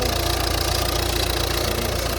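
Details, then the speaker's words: Volvo diesel at 96,900 miles with full service history, fully serviced at 95,000 with genuine parts. Steady, even idle clatter with no misses, knocks or surges; sounds healthy. "So it does seem like mechanically it's been really well looked after. 3, 2, 1. That's good news. Coolant, that's good news. Sorry. Sounds alright, this new show."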